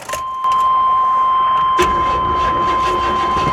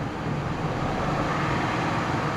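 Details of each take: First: Vehicle at an auction lot, likely not cranked in a long time: laboured starter grind over a steady warning chime, turning slowly and heavily without firing; engine sounds tight, cause not confirmed. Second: Auction car with 79,000 miles, running on a booster pack with the battery light on and the alternator apparently dead: smooth, even engine roar through a light rev, no knocks, ticks or misses; engine sounds healthy.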